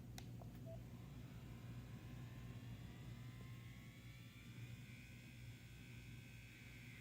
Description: Buzzing fan sound on defective Meta / Oculus Quest 2 (64gb).